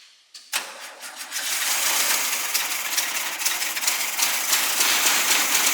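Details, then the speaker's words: Newly acquired SpraCoupe engine for a 1961 VW bus, fuel poured on the throttle plate to prime, coil swapped from original bus engine: cranks, then briefly catches in a rough, rattly, uneven run; seems fuel-starved, more fuel added. "hey run like real quickly yeah let me put some more fuel"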